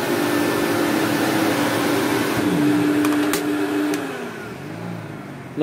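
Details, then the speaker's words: Electrolux Twin Turbo Z1055 vacuum after cable grommet and filter replacement, running on carpet: motor whine holds steady, then sags and wavers in pitch as the brush bites carpet; drive belt slipping, needs a new belt. "although now it is on the carpet I can hear the belt slipping a bit so it will need a new belt"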